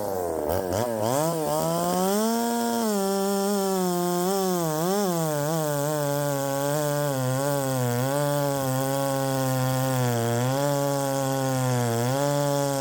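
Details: Ported Poulan 3750 chainsaw on a Chinese carb, after the loose exhaust was retightened, tune unchanged: a two-stroke idle wanders up and down in pitch, surging and never settling. Richening seems to load it up; the owner suspects the Chinese carb.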